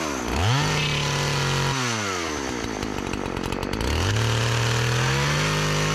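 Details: Partner 405 chainsaw, repaired after stalling on throttle, cutting very hard almond wood with cover fitted: revs up cleanly, bogs slightly into the cut and recovers, no misfire; engine fine, but chain very slack and possibly needs sharpening.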